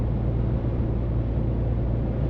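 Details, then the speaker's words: Scania 500S truck descending a long downhill toward army barracks: steady deep diesel drone with no rise or fall while holding back on engine braking, sparing the service brakes; normal engine braking. "good for Fu plenty of engine breaking I want to burn the old brakes off"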